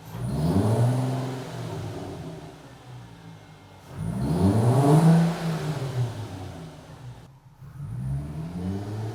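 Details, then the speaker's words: 2004 VW GTI 6-speed manual with severe deceleration whine (especially 3rd), after washer fix, on lift; engine revs and falls three times, gearbox spins down quietly with no whine. "don't hear it. Okay, I don't hear it, so now let's go test drive it and see if we hear it on the road."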